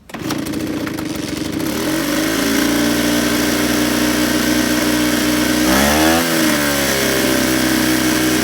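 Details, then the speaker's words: Ryobi 38cc two-stroke backpack blower on 50:1 mix, cold start after priming ten times and choke: fires, settles into steady buzzy high idle, brief dip and recovery near six seconds, then even; normal cold start and idle. "you pull it until it attempts to start with you'll kind of hear it rattle and move around and then you set it to a run"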